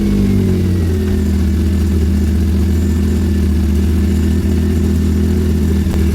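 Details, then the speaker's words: Hyundai Veloster after water pump O-ring replacement, running on used oil: steady deep idle with loud, boomy low exhaust drone, no misses; muffler loose and not yet secured, engine moving side to side because the middle motor mount is missing; no leaks seen. "Sounds like that because the muffler is loose. I didn't want to tie it up until I make sure that everything is good."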